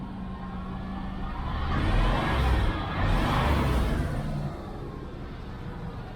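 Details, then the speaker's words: 1994 GMC Stepside pickup V8 after exhaust welding work: revs up and settles with deep even rumble, no puffing or ticking, much quieter; normal exhaust note, no leak. "doesn't seem to be leaking up here though uh but anyway that's what I've been doing guys I'll be back okay guys much quieter"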